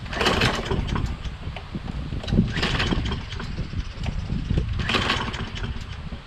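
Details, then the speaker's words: Toro Recycler mower with a Kohler XT675 and a previously cleaned carburetor: repeated pull-over bursts with uneven chuffing, cranking without firing. The owner suspects low spark from the magneto or a carburetor fault, unconfirmed. "but if it's getting low spark it'll have difficulty starting like it's doing now"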